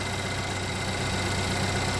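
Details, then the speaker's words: Car with P0011 code that otherwise runs fine, just started after cam and crank timing work with harmonic balancer, sensors and oil control valves refitted: even steady idle, low smooth rumble, no misses, knocks or shaking after initial slight roughness. "camera's not vibrating so I think we're fine"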